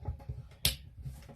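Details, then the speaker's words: Refrigerator not cooling, starter relay removed and shaken by hand: light dry clicks and a sharp tick as something loose rattles inside; relay judged bad despite continuity, to be replaced. "But because of the when you shake it, you can hear something loosen up. I'm gonna replace it."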